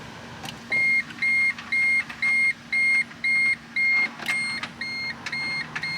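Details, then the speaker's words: Purchased car with suspected electrical (not mechanical) fault, after disconnecting everything from its dead battery: sharp high beeps repeat about twice a second with no cranking or engine sound. Warning chimes show power returned, but it does not start. "beeping we have some power so what I did was actually disconnect everything from this dead dead battery so let's try it now"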